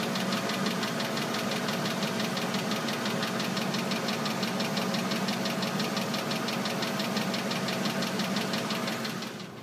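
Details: Oldsmobile Aurora petrol engine idling with a fast, steady rotational clicking that began suddenly, heard from the engine bay and under the car and changing with engine RPM; cause not yet found.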